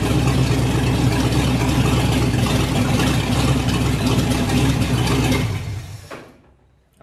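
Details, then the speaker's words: Ford 351 Windsor V8 in F100 rat truck, first startup after fuel system priming, timing untouched: loud ragged running that races on its own then dies; suspected dirt in carburetor from the fuel line causing surging. "we can only think that there's dirt in the carburetor right yep could have been from in that line"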